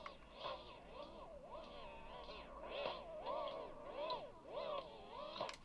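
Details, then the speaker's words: 1980s Sanyo MG32 personal radio cassette player playing a tape: the music warbles, with pitch sagging and rising roughly every 1.5 seconds. Wow from a worn, stretched drive belt that needs replacing. "good all right definitely needs belts then so no point doing much else with that"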